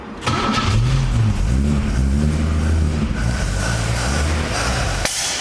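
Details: LJ Torana engine first start after refurbish with crank bearings checked: brief crank, catches and fires, a bit lumpy with throttle blips before settling; runs fine.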